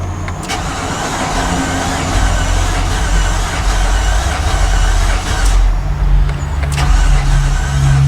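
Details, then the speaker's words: 2015 Infiniti QX80 from a Copart auction, cranking: uneven churning for several seconds but it never fires; oil pressure present, bigger issues suspected. "a touch of starting fluid and it's still not [Applause] [Applause] firing we have bigger"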